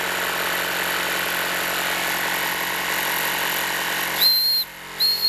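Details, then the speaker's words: Wilesco D-18 tabletop steam engine running at pressure: steady hiss, then two short shrill whistle blasts as the whistle lets off low pressure. "there's the whistle you can use that to let off a low pressure"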